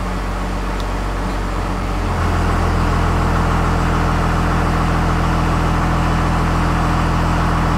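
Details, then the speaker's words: 1st Gen Cummins diesel truck with new stock-stall torque converter, idle in gear with AC on at about 720 rpm after idle screw adjustment: steady low idle that labours, still too slow and needing the idle raised further. "so we are about 7 20. we're gonna go up just a little more"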